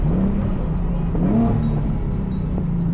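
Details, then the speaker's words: Car on a test drive in paddle-shift mode: deep exhaust drone with a quick rising rev-match blip mid-shift, then settling to a steady pull; clean, healthy downshift. "Oh my God, the rev match capabilities of this car. Guys, this car sounds so good and it feels so good. You definitely got power out of this car."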